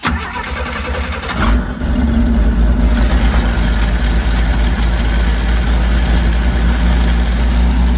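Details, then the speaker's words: 1968 Chevrolet G10 van, 250 CID six with one-barrel Rochester Monojet carburetor, dead cold start after sitting overnight: brief cranking with choke held fully shut by hand, then it catches into a lumpy, uneven idle; automatic choke not working properly, causing hard cold start. "All right, so that's the reason it started that time was because I had the choke all the way shut, and I was holding it there with my finger during the cranking only."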